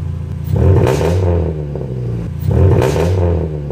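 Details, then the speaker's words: Dodge Neon after Magnaflow high-flow catalytic converter install fixing an exhaust leak, first start: two quick revs rise and fall cleanly with a smooth sealed exhaust note, no puffing or ticking. Normal exhaust, no leak. "Now time for his first start without the exhaust leak."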